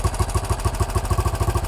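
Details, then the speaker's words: 1968 BSA Starfire single idling on its own carburettor setting after idle screw turned up: even, regular thumping about seven beats a second with no stumbling; sounds better, normal idle. "the bike's now running on its own carburetor setting that sounds a bit better"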